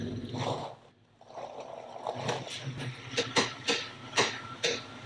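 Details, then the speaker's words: Jeep Cherokee XJ front end: sharp metallic clicks about twice a second, traced to the track bar's lower end, where the bolt was a little loose. Track bar bushing clunk. "I think we got the track bar sorted out."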